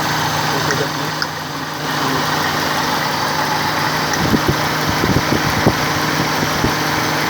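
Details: Toyota Corolla after replacing the faulty ignition coil tip that caused the misfire: steady, even idle hum with no stumbles or dropped beats, a few light background clicks; the coil no longer leaks and the engine fires evenly.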